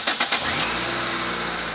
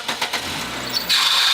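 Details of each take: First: 14-year-old Nissan Sentra with 208,000 miles, started after re-tensioning the drive belt and tightening the pulley: three quick cranking pulses, then an even idle with no belt squeal; the noise is gone, normal start. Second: Nissan on cold start: sharp, steady high squeal from a very loose serpentine belt slipping; it goes away once warm and persisted after a previous shop replaced the alternator and belt.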